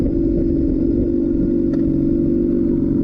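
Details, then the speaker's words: A rebuilt 2007 Honda CBR600RR with fresh oil and a coolant flush gives a very loud, steady deep drone with a hard raspy edge and no muffling; the exhaust is running without its muffler inserts. "this exhaust is way too loud. Doesn't have the mufflers in it. It sounds good on camera, but in person it's just terrible."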